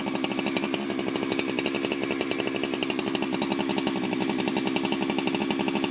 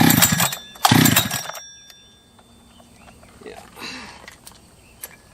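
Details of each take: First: Ported Jonsered 2071 chainsaw after rework; it had run poorly, like an air leak with a hot case, but no air leaks were found and the crank was re-tightened. High, even buzz held near full revs with a steady crackle, no misfires or surging: normal running. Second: Jonsered 2071/2171 chainsaw that ran poorly, acting like an air leak with a hot case, after porting: two short sputtering catches under a second each, then it dies; hard starting, possibly flooded.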